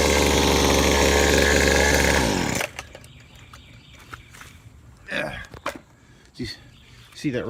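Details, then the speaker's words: Trash-picked Weed Eater Featherlite FL26, 25cc two-stroke string trimmer, after carburetor adjustment (low jet about ½–¾ turn, high jet about ¼–½ turn). High buzzy note holds steady a couple of seconds before shutoff; runs smoothly. "and now this thing runs beautifully give you a little demo here"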